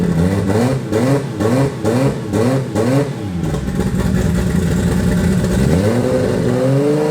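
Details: Toyota 2JZ turbo six in a Holden VL Commodore, first run in eight years after wiring work; short throttle blips then a lumpy loping idle; misfire, running on five cylinders.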